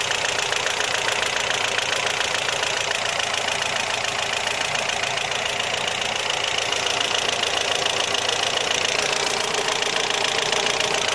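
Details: BMW E36 318is with the M42 petrol engine at idle; a steady fast metallic tick, three or four a second, appeared suddenly the morning after an oil pan gasket job and oil pan crack weld; cause unknown.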